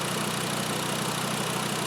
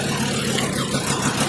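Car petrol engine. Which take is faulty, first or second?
second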